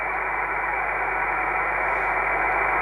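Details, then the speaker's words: Kenwood TS-450S receiver with the preamp off. A thin, steady whistle sits over the receiver hiss and grows stronger with AIP (advanced intercept point) switched on: an internal receiver birdie. "I'm not sure whether you can hear it and I found when I switch on AIP it gets stronger AIP is Advanced intercept point"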